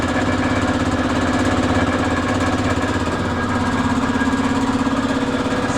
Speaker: got a little bit of a rattle to you hear it come that side